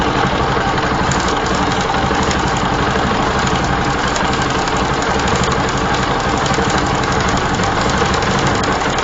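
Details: Bajaj Pulsar (Rouser) 135 LS single-cylinder idling with a fast, continuous metallic clicking rattle: severely loose Rolon bush timing chain hitting the upper camshaft sprocket; poor idle, lost acceleration; rocker arms fine, tappets correct (0.05 mm intake, 0.10 mm exhaust).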